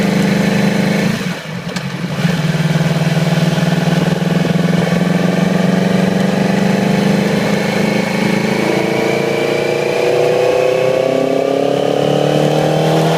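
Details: 2008 Yamaha R6: lumpy, uneven idle that stumbles and rises unevenly with revs, one cylinder dropping out; fine the day before, then little low-RPM power and sluggish at high RPM and freeway speeds. Cylinder misfire from faulty ignition coil; replacing the coil immediately restored normal running.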